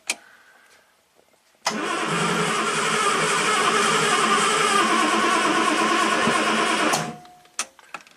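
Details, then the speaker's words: 1967 Triumph GT6 parked since 1999, fresh oil and fuel, retry with no choke and full throttle: steady quick starter cranking for about five seconds, engine never catches; crank no start, low compression suspected. "Alright, we'll be back tomorrow to get this thing running. We're close."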